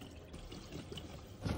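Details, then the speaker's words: Newly plumbed shop/ADU water lines during a first pressure test: a soft, uneven trickle and dribble of water that swells near the end. The leak is not at their own fittings; a rubber piece possibly not seated is suspected, unconfirmed. "I don't know why that's leing like that um well that that shouldn't be leaking like that at least it wasn't our fittings right"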